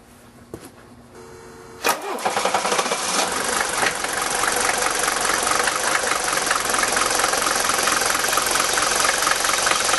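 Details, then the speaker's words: Five-cylinder Mercedes diesel with all injector nozzles replaced by Bosio nozzles, stone cold at 51°F after sitting overnight, glow plugs cycled twice: catches after a couple of seconds of cranking, then even clatter; smooth, normal cold start. "now keep in mind that it's 51° out here this morning and I haven't done anything this car sat overnight it's completely cold I cycled the glow plugs two times notice how smooth the engine is"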